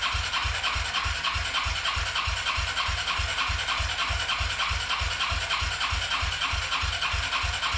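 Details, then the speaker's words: Arctic Cat 300 ATV sitting 15 years, with a rebuilt carburettor, cleaned tank and new battery. It cranks steadily at about three compressions a second but never catches, because the fuel valve wasn't feeding the carburettor; switched to reserve afterwards. "all right guys so it turns out that it wasn't going to fuel so i just switched it to reserve now and i was giving them fuel to the carburetor so now let's see if it starts"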